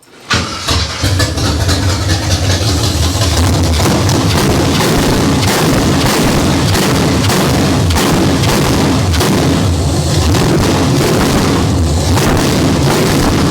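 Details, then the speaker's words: Abandoned 1968 Camaro bone-stock small-block Chevy V8 on open headers, no exhaust: fires right up into loud, lumpy rumble with crisp blips and even beat; runs healthy. "Oh, open header sounds good. Even on a bone stock junker."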